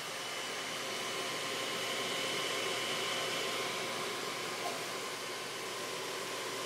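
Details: Dell XPS 630 computer at power-on: steady loud airy whoosh as the fan stays at full speed and never settles, and the machine does not load Windows; cause unknown.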